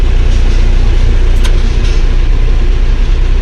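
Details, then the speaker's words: Claas Dominator 48S combine diesel, first cold start after four months idle, about +5°C, old battery, started on second or third crank: steady deep rumble at slow even idle, a little rough from cold, cold oil, no knocking; normal cold idle. "масло холодне помало піднімає немає зарядки [музика] Да завівся не з півтика але хо що акумулятор не сильно ну такий вже старенький акумулятор то з другого крутка чи з третього Я думаю що це нормально"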